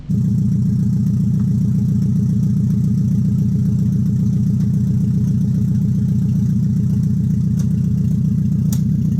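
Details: Nissan 300ZX with KA24DE four-cylinder swap, ready for first test drive: deep, even exhaust pulse at a steady idle, no knocks, ticks or hunting; running smooth and healthy.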